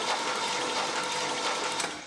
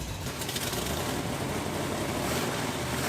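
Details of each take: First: 1967 Chevrolet Camaro SS revived after 15 years sitting, cranked with the spark plugs out: a fast, even whirring spin with light ticking, turning freely; oil pressure reaches 30 psi. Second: 1967 Chevrolet Camaro SS 4-speed V8, first run after 15 years, cold, 60 psi oil at idle, not in gear with wheels off the ground: it runs rough and uneven, then fades and stalls; possibly ran out of gas or the fuel pump isn't picking up fuel.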